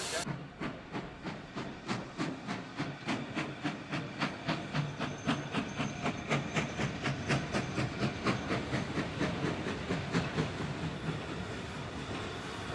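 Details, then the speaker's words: Preserved steam locomotive pulling roughly 150-160 tons, regulator opening as it climbs a hill: crisp even exhaust beats about four a second, strong and regular under load; healthy engine working hard. "so now we're going to be going up a hill now we've got to hear the engine working"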